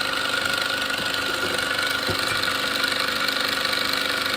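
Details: Small salvaged air compressor first run after reassembly: fast, even piston chatter over a steady hiss with no knocking or stalling, pressure coming out of the hose. Running and pumping normally.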